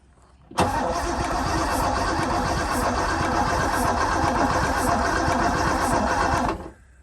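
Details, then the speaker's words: Porsche 928 under restoration, engine freshly installed, with a new battery line and new ground cable; a bad connection is noted. Steady six-second crank with no catch. Owner suspects no fuel, with no signal from the fuel distributor. Cranks but won't start. "nothing still no joy on getting some fuel on the signal from the distributor"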